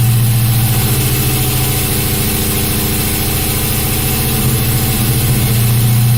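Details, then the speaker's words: LS1 V8 in an S10 truck: loud, rough and smoky, holding a fast, steady idle well above normal. The coolant temperature sensor was unplugged, and the ECU needs its signal. "c, and it was idling very, very high. Turns out I did not have my water temp sensor actually plugged in, And you know, apparently that's kind of critical."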